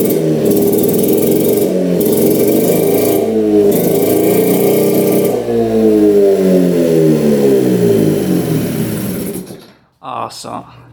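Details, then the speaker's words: 1960s Hydro-Mite mini jet boat engine running after bad used spark plugs replaced with new ones: fires and revs hard with even pulses rising and falling with throttle, then cuts off; runs cleanly on all cylinders. "but sure enough all of them are bad it's running great sounds really good"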